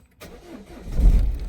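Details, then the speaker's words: Peugeot 1.6 HDi diesel (BHY engine) with codes P2669/P2670, after replacing the faulty thermostat housing with integrated electronic module: short crank, then catches at once into a steady, low, even rumble; now starts normally, some warning lights remain. "Oh, yeah, boy. Okay, so we got some warning lights though, but it now starts like it's supposed to."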